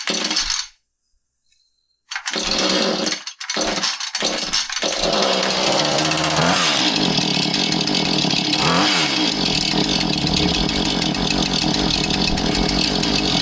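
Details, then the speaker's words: Husqvarna 435 chainsaw, two-stroke, after repair for not idling down with an inconsistent fast idle: a few pulls, it catches, revs briefly and settles into a steady, even idle without hunting. "And I'm going to start it and see if it settles down to an idle where it belongs."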